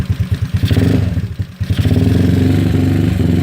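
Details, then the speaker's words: GY6 scooter just started, idle mixture screw backed out to about 1¼ turns, battery at 13.4 V: uneven, lumpy firing with a brief stumble, struggling and vibrating more than normal; owner considers raising the idle screw. "it does seem like a struggle just a little bit more than likely vibrating morning and normally is"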